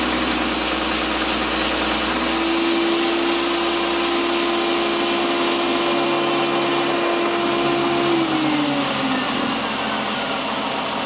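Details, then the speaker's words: 2001 VW Jetta GLX power steering being bled, engine running, wheel turned lock to lock: steady mid-pitched whining moan that sags away, typical with some air still in the system. "now when you first heard the pump you could hear it was whining a little moaning sound uh that's going to be typical too there's still a little bit of air in in the system"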